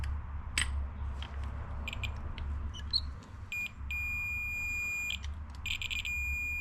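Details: 1993 Ford Explorer starter (fender) relay after cleaning the corroded contacts: clear multimeter continuity beeps over a low hum, showing the relay contacts now conduct properly.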